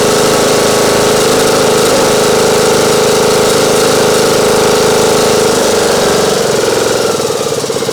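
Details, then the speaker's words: Craftsman YT 3000 lawn mower engine with Nikki carburetor, after starting on full choke and a little throttle, some oil burning off the muffler: steady mid-pitched drone, slightly uneven beat near 3.7 per second, no missing; normal running. "well seems to be running all right now"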